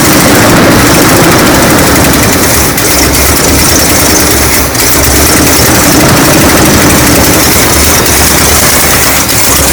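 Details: Classic Chevy ramp truck V8, after a shorted wire that had killed the coil module: steady idle with an even low beat under heavy hiss and background noise, no misfire or stumble standing out.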